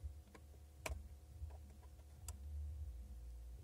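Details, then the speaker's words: Seat heater in an Octavia I/Golf IV/Leon/Toledo/A3-type car, after repositioning the thermistor that had rested against the heating wires and caused rapid relay clicking: a few crisp single clicks seconds apart over a low hum; the relay now cycles normally. "Pokusím se aj zachytit ten zvuk že CV takne a teraz to někde pr dvoj troj zapína vypíná a pěkně hraje takže si můžem aj regulovat tu teplotu vyzkouším"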